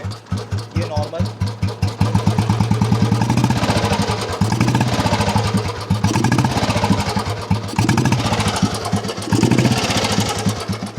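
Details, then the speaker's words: 1982 Royal Enfield Bullet 350 single-cylinder started with one kick and idling: a slow, even thump with no misses or mechanical clatter; healthy idle. "ये देखिए आप एक kick में चालू भी हो जाती है। एंड मैं आपको इसकी वॉइस सुना देता हूं।"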